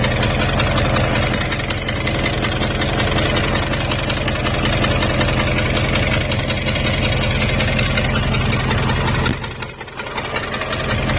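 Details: 2002 Jeep Grand Cherokee WJ 4.7 V8, professionally rebuilt with 4k miles, oil level and temperatures normal: steady idle with a fast regular tick, two to three per second, began after restart at a rest stop; owner suspects loose exhaust manifold, unconfirmed.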